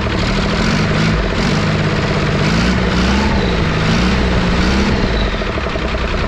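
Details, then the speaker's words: 5.9 Cummins diesel swapped from P pump to VE pump after sitting 15 years, loud steady clatter about three beats a second with no misses or knocks; oil pressure present, runs healthy. "That is the way stuff is supposed to start and stuff is supposed to run."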